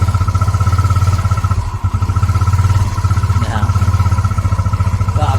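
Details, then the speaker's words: Yamaha Mio 125 scooter, very cold first start on a cold day after carburetor cleaning and air mixture retune: fast single-cylinder putter with small speed dips, slight idle surge remaining versus heavy racing before; idle not yet fully steady. "อาการเร่งจะมีนิดเดียวครับแล้วก็เอ่อเดินเบาประมาณนี้ครับอันนี้เครื่องเย็นมากนะครับ"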